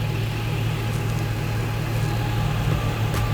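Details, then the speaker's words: LS-swapped Chevy Squarebody C20 at idle just after a Holley Sniper EFI conversion fuel tank and pump were installed to replace a failed inline fuel pump. A low, steady rumble with no knocks or misses; the new pump is fairly noisy. The engine idles normally. "Sounds good."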